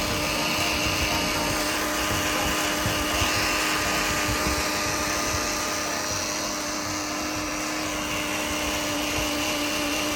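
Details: 2013 Mercedes C250, engine off: a steady electric whine with an uneven pulse near the turbo intake area lasts up to 5 minutes after shutoff; the Bosch auxiliary electric water pump, which went quiet when its top was touched.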